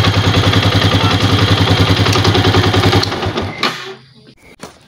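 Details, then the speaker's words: Old Yamaha Vixion after repair of rough kletek rattle, using an aftermarket part and New Megapro piston: steady firm beat around three and a half pulses a second, no clatter, then shutdown; much smoother than the rough sound before. "temen-temen jadi perbandingan suara tadi ya itu lebih halus dan dibandingkan Soraya sebelumnya itu sangat kasar"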